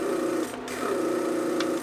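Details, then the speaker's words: 1999 Mercedes S500 door lock PSE pump, repaired and on bench test: with the whole pressure circuit plugged, the small electric pump buzzes hard and steady with a strained tone. "But driving the car with the pressure leak, or let's say you want to plug the whole pressure circuit, look how hard it runs."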